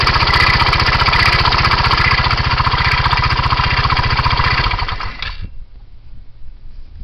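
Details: 2007 Kymco Agility 125 scooter with 16,000 km, engine running: a fast, steady rattle-ticking at about three beats per second over the engine until shutoff. Source unclear; engine noise problem.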